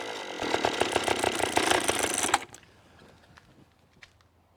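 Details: Antique garage-sale outboard after the fuel valve was turned on: crisp, even two-stroke buzz with steady firing pulses for a couple of seconds then shut off; starts and runs perfectly.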